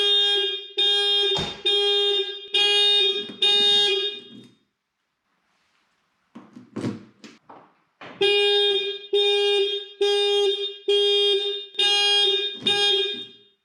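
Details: 1988 Porsche 944 factory alarm after alarm relay replacement, control unit board repair and a new replacement horn: loud steady horn blasts about a second apart, a pause, then repeating cleanly; alarm horn works correctly.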